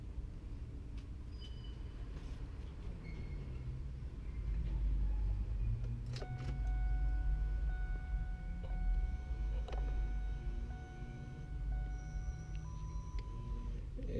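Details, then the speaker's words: 1997-2003 Ford F-150 newly replaced power side mirror in a function test before buttoning everything back up; short bursts of a thin, steady motor whir over engine idle; mirror works and sounds good. "As you can see in here, it is functioning. It sounds good."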